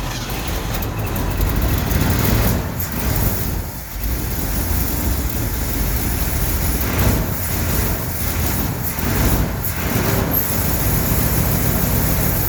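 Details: 1969 Ford F100 after carburetor rebuild, check ball removed; note sags and picks back up unevenly, lean stumble; float bowl not filling, rough running from fuel starvation.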